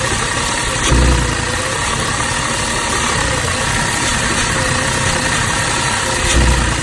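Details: 2006 Audi A6 petrol engine idling with an uneven hum and a couple of heavy stumbles a few seconds apart; rough idle with power loss at low speeds, owner suspects PCV valve, cause unconfirmed.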